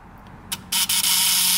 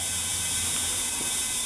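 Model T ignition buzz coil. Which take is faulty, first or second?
second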